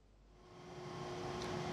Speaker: it's pretty it's pretty noisy in here you can hear the organ blower going now it's a big motor and it's filling up that reservoir on top